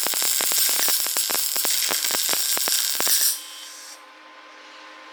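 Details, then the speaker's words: New Lincoln 180i MP DV MIG welder, DC+, steel wire, 100% CO2, loosely wrapped spool: arc crackles and pops unevenly then cuts out as wire jams and plugs nozzle; suspected wrong contact tip (35 instead of 25). "up the wire quick plugged up in the nozzle that's not good that fast still stuck"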